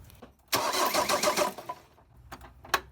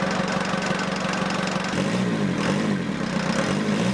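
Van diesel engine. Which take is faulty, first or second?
first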